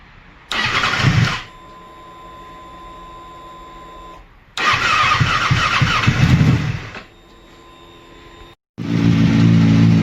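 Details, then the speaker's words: 2007 Kawasaki Ninja ZX6R after a new coil pack and spark plugs: two long cranks without catching, then it fires into a rough idle with throttle held. Hard starting, possibly from sitting or the new plugs. "So I had a difficult time to start it. It finally started."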